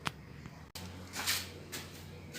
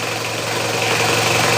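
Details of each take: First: Car engine cranks, catches and settles into a steady idle after the fan belts were lubricated with grease; the earlier whining belt noise is gone, with no belt squeal. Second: Mitsubishi Kuda diesel at idle, before greasing the belt: thin steady high squeal over the diesel clatter from an aged, worn slipping fan belt.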